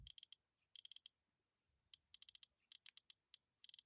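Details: iPod after a motherboard replacement, click wheel reinstalled: crisp, high, dry ticks in quick bursts of four or five as the wheel scrolls; click wheel clicking normally.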